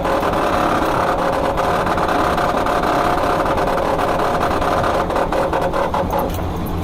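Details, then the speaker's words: 1972 VW Super Beetle that sat 30+ years, engine now running; transmission fluid was sludge and was replaced; in gear, loud busy mechanical clatter with whirring ring over rough engine, gearbox noise of unknown cause. "The only issue of the car is the transmission. I have no idea why the transmission's acting up."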